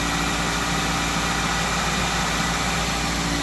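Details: 2004 Pontiac Vibe (Toyota Matrix) with 200,000 miles, idling after a tune-up, new plugs, coils, MAF, PCV valve, throttle position sensor, fresh fluids, new motor and transmission mounts, and a computer reset: smooth, even idle with a steady low hum, no knocks, ticks or misses; healthy.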